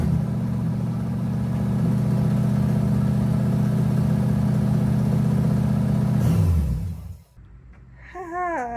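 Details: LS-swapped S10 run with the belt off to check whether an earlier noise comes from the front drive setup: smooth even idle, steady low rumble, no squeal, chirp or tick, then it winds down and stops.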